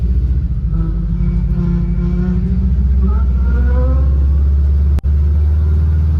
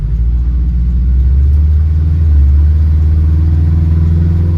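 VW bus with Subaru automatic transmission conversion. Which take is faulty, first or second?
first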